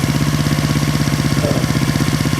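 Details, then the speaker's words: 1970 Honda SL350 after remounting carburetors over a suspected air gap: even, quick putter of about thirteen beats a second lifts slightly when sprayed, hinting at an intake air leak; cause suspected, not confirmed. "look at now the idle rising up a little bit that kind of means it an even with the gas KCK F"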